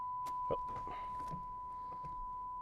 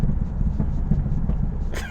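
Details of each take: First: Low-mile third-gen Camaro V8 after injectors were cleaned for a persistent misfire, drive belt back on, plenum off, checking fuel pressure and leaks: short crank, catches with a bark, settles to a steady even idle with audible injectors; no vacuum or fuel leaks. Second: 1991 Chevrolet Camaro Z28, 22,000 miles, five-speed, driving under load after injectors were cleaned: deep lumpy exhaust rumble with stumbles, backfiring pops; misfire returns at a specific throttle position, not rpm, traced to dirty fuel injectors.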